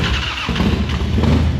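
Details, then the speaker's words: Harley-Davidson big twin in neutral after sitting a while, took a little to fire: catches and settles into a deep, loping idle with a steady low beat, no knocks or rattles; normal idle after start. "Yeah. All right, we're alive. That goes to show you, this thing's kind of been sitting for a little bit."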